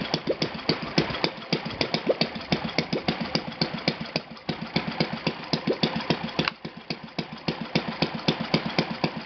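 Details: Enya VT 240 twin model engine after carb cleaning and valve adjustment, on a stand with Byron 10 fuel and a 20x8 Master Airscrew prop, idling on one cylinder: steady, slightly uneven popping that holds without stalling.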